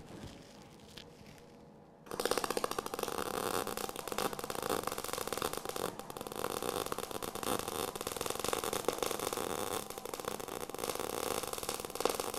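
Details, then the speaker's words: Eastwood MIG 175 welder: after a quiet start, a steady, even bacon-frying crackle for ten seconds: correct settings, normal MIG weld sound. "so you can hear the sound was the had a bacon frying sound it was a lot better"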